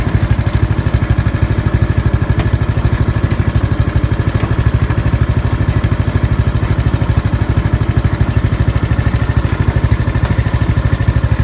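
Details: Murray riding lawn mower after replacing the starter solenoid with a universal one: steady, even single-cylinder putter at idle with no misses, knocks or hunting; normal idle.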